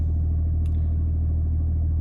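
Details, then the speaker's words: BMW 330d E90-series with N57 diesel, just after a fuel pump replacement, with the pump bled by cycling the ignition. It cranks, fires right up and settles to a deep, steady, even idle with no knocks or stumbles. Normal idle. "give it the old crank yeah that's pretty much it it's fired right up no problemo"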